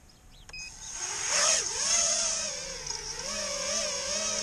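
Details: Tweaker 5" quad, KISS V1 FC, KISS 24A Race ESCs, Rotor Riot Hypertrain 2306 2450KV motors, 5x4.2x3 props, 4S 1300 battery, stock PIDs, soft-mounted: high motor whine wavers with throttle, uneven and wobbly in the first seconds; cause unclear.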